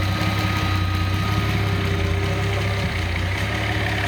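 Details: Nissan L28ET turbo engine, warm, with Ford IAC valve driven by VG30ET controller, idling around 800 rpm: steady even low idle with faint constant tone, no surging; normal idle.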